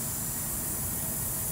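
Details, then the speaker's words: Chevy Cruze cooling system pressurised with an air-powered tester, no coolant needed: constant hiss of air escaping under pressure low in the engine bay, revealing the leak. "hear the leak down here one good thing about this is you don't need to fill the cooling system up with water or coolant to find the leak"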